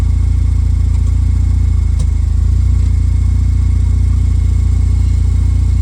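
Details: 2007 Pontiac Solstice GXP after swapping in a used rear differential, car raised and run in reverse and drive: smooth, even low drone with steady beats and no whine, clunk or grinding as the wheels turn; the differential sounds healthy.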